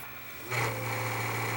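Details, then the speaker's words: Panasonic PVS7670 S-VHS VCR failing to rewind, reversing slowly then powering off: steady low motor drone turning into a rough gritty grind; suspected dry capstan motor bearing, not confirmed. "that noise that it's making that sounds like the Capstone motor actually that grinding noise sounds like the Capstone motor bearing is a dry"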